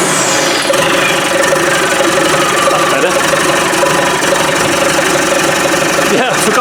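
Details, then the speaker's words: TDI diesel engine idling after a cold start on a makeshift fuel tank, once a knocked-off wire was reconnected: steady, rattly clatter holding an even idle with no misses. Normal diesel idle. "Whoa, wait a minute. She's off. Oh. She's a wild little minx, but she's running."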